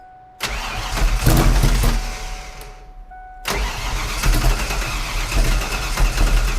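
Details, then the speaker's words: 1988 Ford Foxbody V8 drift car, first start after wiring fixes and re-correcting distributor orientation: starter spins, fires rough and falls away, then catches and runs unevenly; ignition timing was far off, checked at 0 degrees. "It was off a bunch. That was the That was the problem."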